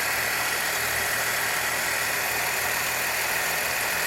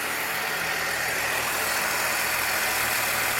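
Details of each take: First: 1966 Chevrolet C20 with 292 inline-six, first start on 5 gallons of fresh gas, still cold: steady even idle but running a little fast, no knocks or misses; timing and carburetor still to be set. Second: 1966 Chevrolet C20 with 292 engine on first start after the work, not yet warmed up and idling a little fast: fine, even valve train ticking with no single loud tap. Normal valve train at idle.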